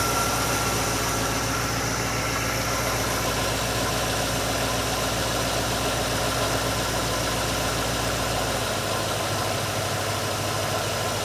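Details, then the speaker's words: GMC truck V8 with an Edelbrock VRS-4150 650 CFM carburetor replacing the 950, idle mixture and speed set: even idle with a low rumbling pulse, no knock or stumble, slight drop in the low note near the end; idle sounds sound. "Little tweaking to the idle mixture. Got our speed set. We're uh ready to roll."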